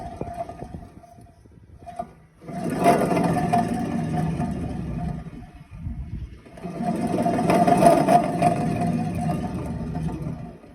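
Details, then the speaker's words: 1998–2002 Honda Accord rear wheel hub spun by hand: a coarse, gritty rumble with a faint ringing note, a worn bearing, compared against a new hub that is nearly silent. "this is the sound of a good one no sound barely anything now this is the sound of a bad one"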